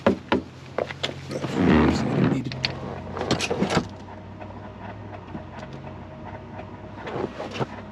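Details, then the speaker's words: Fox body car after fuel pump replacement, before startup: short whirring motor runs against a quiet background; the sound is the power window moving, not the fuel pump. "Wait. Okay, so that sound is not the fuel pump. It's the window."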